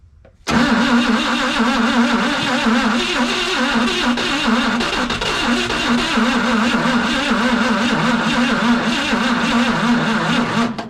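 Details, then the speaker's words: CMP engine, fuel pump dry so fuel poured into the line: steady, labored, sluggish cranking for about ten seconds with no catch; starter not warm but turns too slowly to fire. "Starter's not even warm. It's just not going fast enough. I want it to turn over faster."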